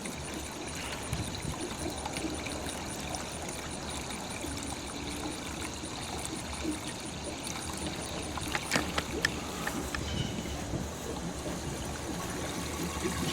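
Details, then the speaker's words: Pool pump with water level lowered for closing: steady trickling, splashing gurgle over a low pump hum as water tumbles into the skimmer and air is drawn in, the pump losing prime. "It looks good now, but that pump is going to catch more prime. You hear it kind of get waterfally in there."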